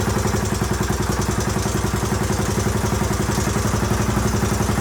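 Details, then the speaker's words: 1981 Honda XL500S single, first start after oil change, air filter install and makeshift fuel tank, started stone cold: steady, even idle around 220 beats a minute with no knocks or misses; healthy, possible leak heard, carburetor not leaking. "all right well she runs good i haven't had a chance to take her out on the road yet obviously but i at least know it idles and starts up pretty easily"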